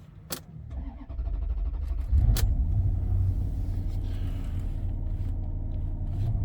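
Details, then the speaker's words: 2005 Maserati Quattroporte, 4.2 litre Ferrari V8, before repair, running rough with stored faults: after clicks, engine revs weirdly, idles really high and jumps, even with foot to the floor. Raised, unsteady low rumble; erratic high idle. "That's my foot to the floor. My foot to the floor. You can see it's just revving really weirdly. It's idling really high."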